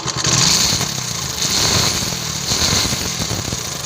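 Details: TVS XL 100 Heavy Duty small single-cylinder engine, checked for clutch-plate noise at slow speeds: it putters evenly with a light, buzzy exhaust and no knocking or clutch rattle. Normal, healthy running.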